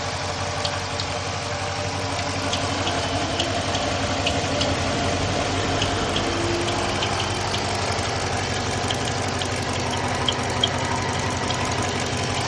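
Steady V8 idle with light, fast chirps riding on top, roughly three a second; the chirp is there but the source is not found. Cause suspected, not confirmed.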